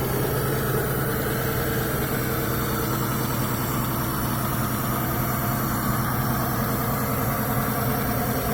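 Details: Mitsubishi Galant V6 engine test after fitting new rod and main bearings: even smooth idle rumble, no knocking or ticking; normal idle.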